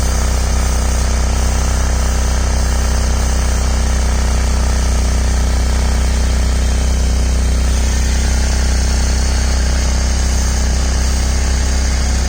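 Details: Ford/Lincoln at idle, steady low drone with faint rhythmic puffing about three a second, louder when cold, exhaust smell inside the car; owner suspects an exhaust leak, dealer found no problem, calling it a condensate drain.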